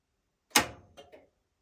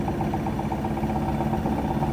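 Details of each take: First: Whirlpool SCW1112WH washer starting Quick Wash 30: after the motor test and door unlock, one soft thud then two light relay clicks about a fifth of a second apart. Normal start-up. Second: Whirlpool SCW1112WH washer on Quick Wash 30, spinning at 1200 rpm: a fast steady spin hum with a fair bit of light drum rattle over it. No grinding from the SKF bearings, which are said to tolerate it.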